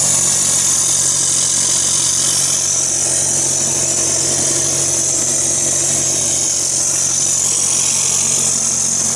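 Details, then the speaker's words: Porsche Cayenne Turbo 955, engine running: strong steady air hiss with faint quick ticking, traced to a part rubbing through on a pulley and worsening gradually; vacuum/boost leak. "I'm a strange ticking and air leaking noise so it looks like this has been rubbing on that pulley for a little while getting gradually worse"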